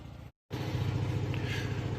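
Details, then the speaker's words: Onan generator running in a garage during a power outage, heard muffled from behind a cracked overhead door: low, steady thrum with an even beat; running smoothly. "In case you didn't already hear it running in the background behind the garage door here, I have a running generator."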